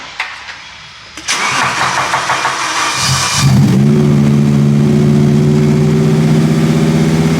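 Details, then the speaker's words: V10-swapped BMW E46 M3 after radiator work: cranks, catches and settles into a steady but slightly lumpy idle; still running two cylinders down (misfire). "Yeah, I think we're still 2 cylinders down."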